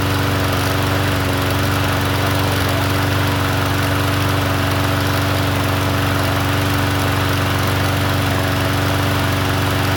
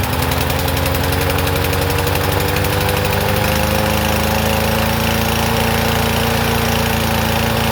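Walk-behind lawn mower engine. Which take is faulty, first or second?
second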